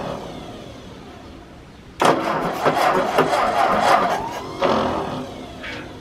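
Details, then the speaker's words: 1951 Ford 8N tractor after valve job, carburetor cleaning with new gaskets, and exhaust cleared of mouse nests: engine catches at once and runs with an even, crisp chuff for a few seconds; sounds healthy. "once I got that cleaned out it sounds like well just like an 8N should folks so it's a very nice running engine"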